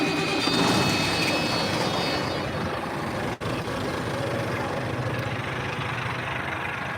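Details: Hotshot pickup truck crank: engine catches and settles into steady even low-rumble idle, no smoke; normal start and idle.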